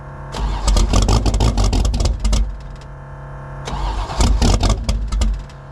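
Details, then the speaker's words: Mustang drag car cold start at about 20 degrees, with no choke, an oversized 878 CFM Pro Systems carburetor and the electric water pump off: long bouts of rapid, uneven cranking with sputters that never catch. "It took forever. Cranked it, cranked it, cranked it, cranked it, got it started."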